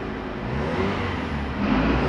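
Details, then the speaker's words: 2016 Fiat Uno Attractive with a P0300 misfire code that intermittently felt weak while driving, after repair (plugs and plug cables suspected): engine catches and revs cleanly with an even pull and no stumble or popping, running smoothly. "a gente mostrar aí o carro já funcionando aí redondinho"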